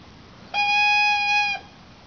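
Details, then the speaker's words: Cessna 152 stall warning horn, tested on the ground: a clear steady reedy tone for about a second, then stops; stall horn working. "Right here is the stall horn. Basically, when an airplane stalls, you'll hear a noise."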